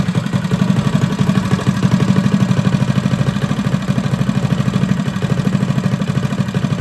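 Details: Freshly rebuilt Predator 212 on a Motovox minibike, new billet parts, rod and cam, broken in by revving and idling: even steady low idle thump, no missed beats or metallic knocks, running healthy.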